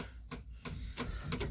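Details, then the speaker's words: Morris Minor 4-door running on jump pack (battery flat) after new ignition barrel: ignition on, five crisp ticks about three a second, slowing slightly; electric fuel pump priming normally before start. "all we need to do now, turn the ignition on. We should hear the fuel pump running."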